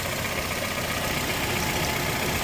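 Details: 2008 Acura TSX that was running hot, after thermostat replacement and coolant top-off, heater on full blast to purge air: steady even idle with constant blower hiss, no knocks or misses; healthy.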